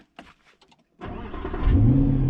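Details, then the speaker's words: Used Mercedes flagship with a naturally aspirated, big-displacement AMG V8 and push-button start: a click, then the engine catches and settles into a deep, smooth, even rumble; normal V8 start. "oh it sounds amazing yes the proper amg motor no turbos big displacements"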